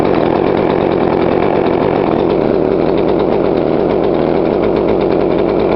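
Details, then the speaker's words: Poulan Pro 42cc chainsaw, after adjusting the carb low screw: idle picks up to an even, steady two-stroke buzz with no stumbling. Carb set right. "Yeah, I turned that little point. You hear it pick up a little bit."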